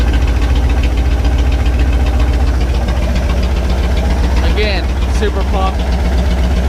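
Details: 1967 Chevy C10 truck's 327 V8 (11,200 miles) on first start after 33 years parked, fuel system sorted, timing and idle adjusted; loud, deep, steady idle with even firing and no knocks or misses, no exhaust fitted; normal idle.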